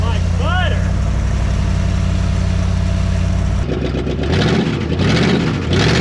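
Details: 1974 Dodge W100 Power Wagon 4x4 V8, first start after sitting since 1983, exhaust very leaky where pinched off: even, steady idle with deep regular exhaust beat, no knocks, ticks or misses; engine sounds healthy, normal idle.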